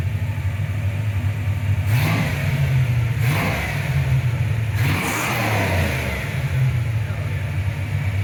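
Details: 1995 Ford Mustang GT, Ford 302 V8, after swapping in a new manifold, rebuilt carb, fuel pump and gas tank; a loose plug was found and timing set. Steady low idle burble with three clean blips falling back smoothly, running on all 8 cylinders.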